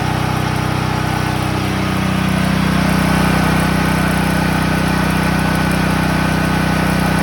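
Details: Promate PH5600 6kVA gasoline generator running with a steady, loud buzzing drone that settles into an even tone after a couple of seconds; very loud noise, cause not stated.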